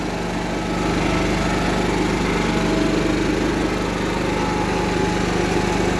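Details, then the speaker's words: Cub Cadet 1330 Kohler single engine, first run after long sitting, with a plastic piece removed from the tank outlet; steady putter with no skips or rattles, a bit smoky, idling slightly low; runs smooth. "sounds smooth so"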